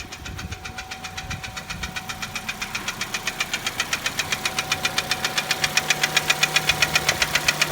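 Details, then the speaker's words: 2010 Chevrolet Cruze 1.8 automatic at normal idle rpm: sharp, very regular metallic knock about four per second, growing louder. Attributed to a broken connecting-rod/piston skirt. "Chevrolet Cruze 1.8 автомат. Стук двигателя 2010 года. Обороты нормальные."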